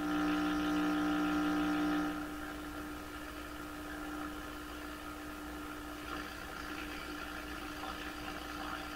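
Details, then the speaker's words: 1928 RCA Victor Model 28V TRF radio on a 5-7 metre floor wire antenna, tuned to 640 AM: steady whistling tones over hiss then rough garble; strong noise signal around 620-630 swamping the station, cause being traced. "So the station I'm trying to receive is at 640, and it sounds like there's a huge noise signal about 630, 620."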